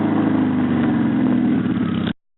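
Rev held high, then cut off. A raspy, chuffing edge rides over the engine note, pointing to an exhaust leak ahead of the cat.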